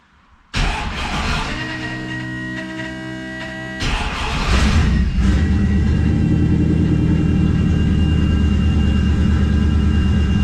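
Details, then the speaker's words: 1969 Plymouth Valiant, 360 Magnum, TF727 transmission, narrowed 9.25 Chrysler rear end with 3.55 gears, after replacing pitted pinion bearings with a crush sleeve eliminator: in gear, wheels turning, even drone, no rear-end whine or growl. "quiet it's quiet wheels turning dead quiet we are good no rear end noise"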